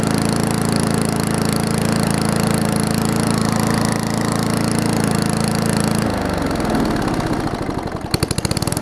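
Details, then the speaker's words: Finished Murray push mower with Briggs Classic engine, new toggle kill switch: small single-cylinder thumps smooth and even for six seconds, then shuts off cleanly and winds down; running healthy. "mower's not worth that runs and cuts fine as it is so that's the way it's going to be"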